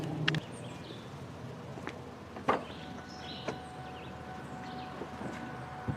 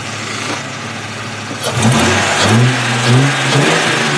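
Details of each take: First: 2002 Ford Mustang convertible 3.8 V6, high mileage, cold startup: light quick tick over idle near the exhaust manifold; owner suspects manifold leak rather than valves, tick fades after about 30 seconds; recorded before oil change and Liqui-Moly engine flush. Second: High-mileage 2002 Ford Mustang 3.8 V6 after a Liqui-Moly engine flush and oil change. Even idle with a brief rev blip; cold-start ticking, which the owner suspects is an exhaust manifold gasket or hole, fades after about 30 seconds. Normal idle once warm.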